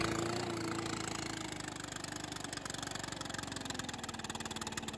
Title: Stihl BR600 idle and rev after cable and carburetor adjustment. Runs and idles much better/smoother